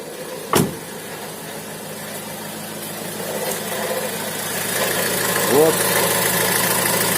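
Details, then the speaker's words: Opel Vivaro / Renault Trafic 1.9 diesel idling, right side, quiet with belt off: dry, uneven crackle returns once the belt is fitted; injector ruled out, not the cause. "ремешок одели заводим и слышим как с правой стороны обратно начинает трещать"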